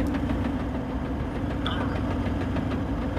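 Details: Diesel 76-series on a high-country 4WD trip: a regular light knock rides over the idle at engine speed, a clatter that stops when the clutch pedal is pressed; cause unconfirmed.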